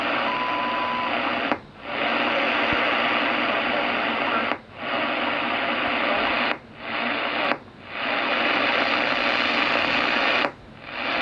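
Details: HF radio hiss broken by sharp, irregular popping dropouts across a couple of bands, later traced to an old aluminum wire loose in a back-stab outlet connector, arcing until it burnt through; outlet replaced, back to normal RFI hash.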